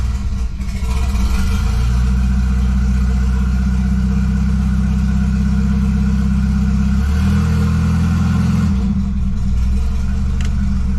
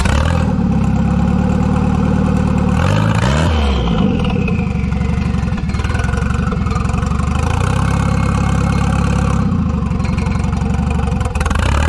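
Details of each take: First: $200 station wagon just fitted with a new GMC Typhoon/Syclone turbocharger, first start after pre-priming oil: clean blip and return to steady smooth idle, no hiss, whistle or knock. Normal idle and revving. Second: Wagon with GMC Typhoon/Syclone turbocharger, no internal blow-off valve, boost controller turned up: revs rise and fall under boost with pops and crackles on throttle lift-off; normal overrun.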